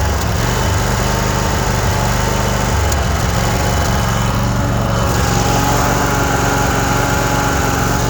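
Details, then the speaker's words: Cub Cadet RZT 54-inch zero-turn mower, idled down after the blades were disengaged. A steady, even low putter with no misses or knocks; a smooth healthy idle. "I'll go ahead and disengage these blades. Idle it down for you so you can hear it idle."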